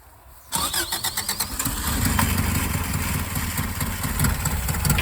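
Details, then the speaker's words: 1984 Subaru Brat (84 or 85), sat about 10 years, after fuel pump work and with air cleaner off: catches after short crank, then lumpy wavering idle, running but unhappy; vacuum leaks suspected. "Whoa, she's idling. She's idling. She ain't happy about it, but she's running."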